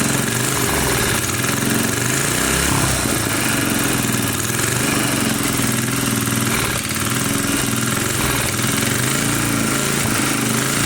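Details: 1980 power tiller (rotovator) with Briggs and Stratton engine, running after spark was restored; carburetor cleaning may not be needed. Steady, even drone with clean low firing and no clacking or misses; normal running.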